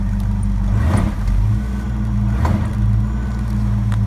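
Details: 1970 Ford LTD after throttle dashpot replacement, dashpot still incorrectly set: deep steady drone bogging slightly under load, shifted into reverse against the foot brake while the gas is goosed; it never stumbles, stalls or dies, so the engine is healthy.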